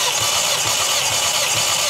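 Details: 2010 VW Golf 6 GTI, 2.0 TSI 211 hp (engine code CCZB), possibly tuned, compression test: even starter cranking with regular pulses about twice a second, no stumbles; readings over 12 bar, compression good.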